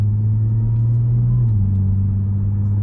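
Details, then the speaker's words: Supercharged Audi with catless downpipes, after aftermarket mufflers replaced a muffler delete, steady low cruising hum with slight pitch drop, supercharger audible, no booming drone; quiet, even exhaust note. "almost no drone it's definitely not as loud and you can still hear the suit well you can hear the supercharger a lot more now but it's just not obnoxiously loud anymore which is what i'm happy with"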